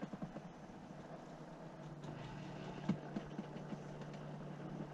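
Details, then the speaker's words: Ford Focus mk2 at key-on after timing belt replacement: faint steady low hum held for a few seconds as the fuel pump primes and fills; normal priming. "Déjà la pompe à l'envoie, c'est bon. Elle est en train de remplir."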